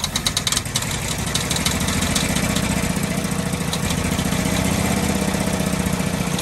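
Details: 1948 Ford F-5 ex-ice truck, first run after about 45 years sitting: rough uneven idle with a sharp popping tick on the firing rhythm. Owner believes the number six lifter catches on its spring, not a knock.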